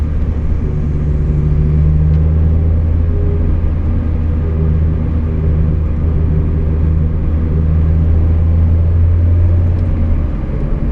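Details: Mazda Miata differential whine at steady cruising speed, a low rumble with a faint constant drone, which goes away under hard acceleration or deceleration. The ring and pinion gears were found badly chewed up.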